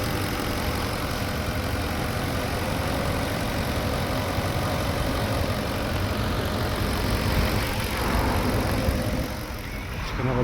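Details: Porsche Cayenne Turbo 955 after coolant leak repairs, with no leaks or warning lights: steady, full-bodied idle with an even low rumble and no misses, knocks or hiss; engine sounds healthy.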